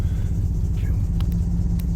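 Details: 2007 Chevrolet Silverado 5.3 V8 with new injectors, intake gaskets and known-good coil packs, plugs reportedly recently changed: deep lumpy idle with an uneven pulse that never settles; persistent misfire, cause not found.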